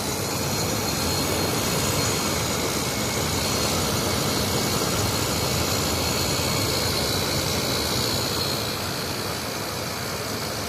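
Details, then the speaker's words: 2003 General Electric 8000 BTU window air conditioner, a curb find; steady even hum with airy fan rush and no knocks or rattles, barely audible from the front. Normal, quiet compressor running. "that's a quiet compressor you can barely hear that from the front"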